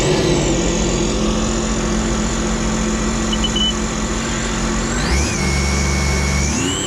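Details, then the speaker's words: Jet ski with a freshly rebuilt and installed engine after a timing chain failure, idling in the water for its first test: a steady, even idle with a smooth hum and one quick rev that settles cleanly; sounds good, with no leaks or check engine lights. "it sounds good to me it sounds good we out"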